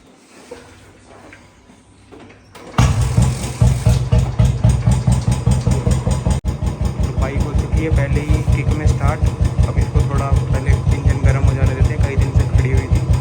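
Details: 2018 Royal Enfield Bullet Standard 350 BS4 with a battery-drain no-start problem, now catching and settling into a steady, even low thump about two to three beats a second; normal idle.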